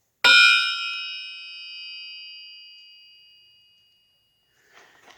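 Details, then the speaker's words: Mopar 360 crankshaft, out of the engine and standing on a wood floor, given one light tap: a clear bell ring that hangs on for over three seconds, so the crank is sound and not cracked. "hear that that ringing like a bell that's what you want to hear that's a good crank that's not cracked"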